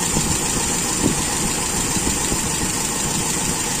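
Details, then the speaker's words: Toyota Kijang with Aisan carburettor after disassembly, idle while turning the adjusting screw to about 5 (from 3 turns): steady, even idle with no hunting; setting judged slightly lean but still normal, not sensitive. "sepertinya settingannya ini termasuk agak miskin ya teman-teman dan Masih normal tidak sensitif"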